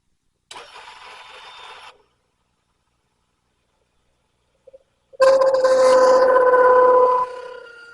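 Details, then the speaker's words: Old tabletop lathe turning a part for an Ironhead Sportster project bike: quiet cutting, then a loud, steady high-pitched screech for about two seconds as the tool bites; chatter from taking too deep a cut. "that sound that's a cry for help that's my machine's way of letting me know Hey fat boy you're getting greedy that's one thing about these old tabletop machines like this whenever you uh start pushing them to the point where you're getting into some chatter they are not subtle about it man"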